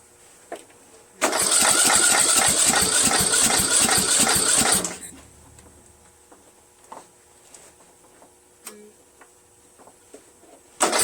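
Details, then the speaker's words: Troy-Bilt 1842 Super Bronco lawn tractor with repowered engine, Nikki-copy carburetor, on choke with a weak battery boosted by a charger in engine start mode: starter churns about four strokes a second for 3.5 seconds without catching; engine flooded. "I flooded it a little bit. I'm going to wait until the battery charger gets the amperage rebuild again."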